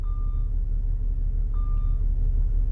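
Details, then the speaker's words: Jaguar whose transmission is thought to be going out, in reverse: two long, clear mid-pitched beeps about 1.5 s apart over a low engine idle, growing louder nearer obstacles; normal reverse parking sensor beeping. "But then I realized that is the backup alarm. And as I get closer to stuff, it's beeping louder."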